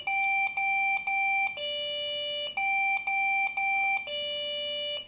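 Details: Desktop PC that suddenly won't boot: clear high beeps in short groups with brief gaps, repeating over and over. The PC is failing its startup self-test; the cause is suspected, not confirmed.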